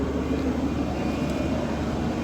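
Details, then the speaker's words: JAC diesel pickup during a scan-tool-forced DPF regeneration: steady, evenly held diesel drone at raised revs with no hunting or knocks, revs dropping when the procedure ends; raised idle during DPF regeneration running normally. "Так, я вирішив зробити генерацію сажового філь фільтру. Запустив цю процедуру до допомогою лаунча."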